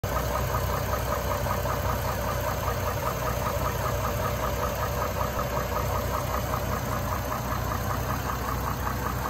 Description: 2004 gmc envoy engine knock noise